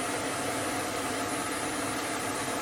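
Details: Hope Woodturning MK2 threading jig, router at 3000 rpm, cutting a thread in beech: steady even router hiss with thin high whine, no chatter or bogging; normal thread cutting.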